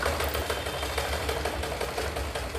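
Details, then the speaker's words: Sewing machine knocking as it sews: fast, even clatter of light "taka-taka" knocks through every stitch despite oiling; can break the needle or skip stitches, traced to a rod needing repair. "చూసారా ఎలా sound వస్తుందో మళ్ళీ చూపిస్తాను ఈ sound కి సూదు అనేది ఒకోసారి విరిగిపోద్ది లేదా కుట్టు జారిపోద్ది."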